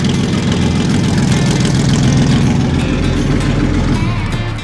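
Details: Panther tank's big petrol engine after a hand-cranked inertia start, readied for AusArmourfest: it catches and settles into a deep, even rumble, running cleanly with no knocking; normal idle.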